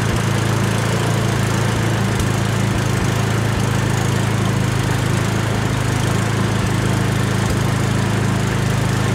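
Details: Yardworks two-stage snowblower single-cylinder engine, starter suspected faulty so started on the pull handle, holds a steady even chug at constant speed with no misses or surging; normal running.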